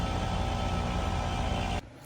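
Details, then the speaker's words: AC condenser compressor and fan: loud steady hum and fan rush running on with 0 V AC across the contactor coil yet 240 V passing primary to secondary; contactor likely mechanically stuck closed. "So, that contactor should not have been closed. But, I do have 240 volts going from the the primary to the secondary on that conttor."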